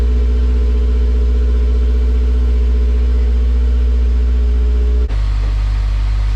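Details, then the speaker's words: Honda S2000 first cold start after new Competition stage 4 clutch and resurfaced flywheel: strong steady low idle rumble with even firing, then a clean step up in note; smooth, regular, healthy start and idle. "now it's time to start it and hope that there's nothing crazy that happens that just starts up it sounds good it runs it goes into gear the wheels spin"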